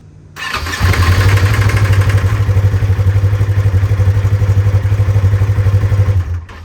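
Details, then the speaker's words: Polaris RZR bought used from Facebook Marketplace, loud steady clatter about four times a second at cold start idle; timing chain tensioner failing, common over 200 hours, fix is replacing the tensioner. "it's the timing tensioner it's all driven they usually do this it's common but you just replace the tensioner"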